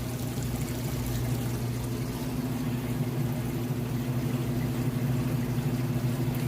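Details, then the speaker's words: Maytag oversized-capacity top-load washer, heavy load on regular cycle, entering final spin: steady low motor hum under gurgling rushing water, no grinding or rattle; draining normally before reaching full-speed spin. "it's working on draining that water out and then it's gonna going to get up to a full speed spin"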